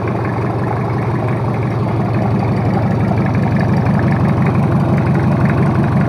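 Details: Toyota Kijang 2L diesel, freshly overhauled for low compression and abnormal noise, idling after first start: even clatter at about three beats a second with a smooth low rumble; settled, oil pressure normal, healthy.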